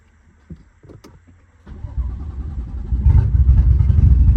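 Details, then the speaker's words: BMW F80 M3 cranked with the fuel pumps unplugged: starter spins the engine in steady rapid beats that build without firing. Cranks but won't start, though it seems to want to, apparently from pressure still held in the fuel lines. "Why does it want to start, bro, without fuel? How is it still getting pressure in these lines?"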